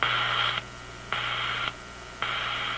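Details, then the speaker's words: Zenith G615 tube radio (chassis 6G05), no antenna: rhythmic on-off buzzing bursts of about half a second over the hiss; RF interference from an office computer about 20 ft away, generated while the computer is in sleep mode. "is my office computer, which is about 20 feet from here, and it's not on. My office computer is in sleep mode, and this is what it generates while it's sleeping."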